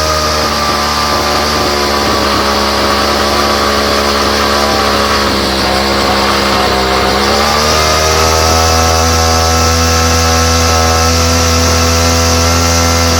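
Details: Homelite string trimmer, no model number, new non-OEM Chinese aftermarket carburetor; high buzzy two-stroke note mostly steady, sags a second and climbs back, running unevenly, likely fuel-mixture trouble.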